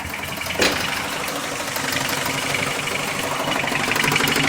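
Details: Car ticking from start to shutoff, owner suspects somewhere around the oil pan, something loose or the balancer: sharp continuous ticking about three per second over steady idle; began two days ago, cause unknown.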